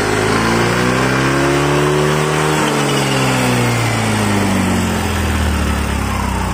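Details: Yamaha Mio 125 scooter after fixing an air leak that stopped it taking throttle: revs rise and fall smoothly, following the throttle without stumbling or popping; pulls normally.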